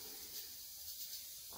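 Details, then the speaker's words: Presto pressure canner on a gas burner, targeted at 11 psi, climbing to 12 psi. Continuous sharp steam hiss from the regulator with a few short surges as it runs slightly over pressure, while the heat is turned down to hold it just under 12. "okay so now we're backing her down a little bit more because she's hitting 12."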